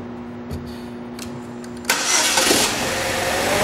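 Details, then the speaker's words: 2007 Saab 9-3 2.0 turbo, front-wheel drive, about 129,000–130,000 miles: quiet hum, engine catches at once and settles into an even steady idle with no knocks or misses; excellent running motor. "as you can hear this is an excellent running 129,000 mile motor"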